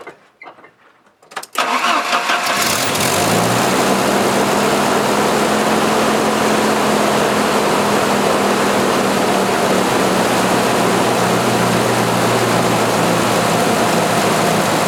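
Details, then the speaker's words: 1986 Jeep XJ 2.5L, engine cold, after repairing the DC idle speed control motor with a new rear bushing: it cranks, catches and idles, then sags and bogs when the A/C compressor engages; cause not yet known. "let me restart it and then I'm going to turn on the air conditioner and you'll hear it bog"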